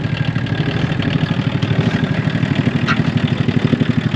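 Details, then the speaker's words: Revived old VW Golf Mk1 diesel after refitting crank pulley and belt and a cool-down: steady diesel clatter at idle, about three firing pulses per second, even and settling, with a little white smoke (unburnt fuel) expected to clear with run time; normal idle. "blown a little white which is a little bit of unburnt fuel but i think it'll clear up with some run time"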